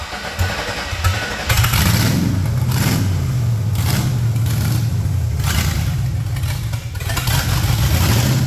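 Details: Project truck with LS swap, in a shop on a lift after transmission fluid was added; engine catches and revs in uneven, stumbling bursts that won't hold steady or run under throttle, from two big vacuum leaks and no mass airflow sensor.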